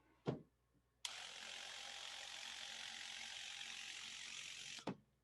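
A click, then about four seconds of even hissing spray with a faint steady tone, cut off cleanly by another click; sprayer working normally.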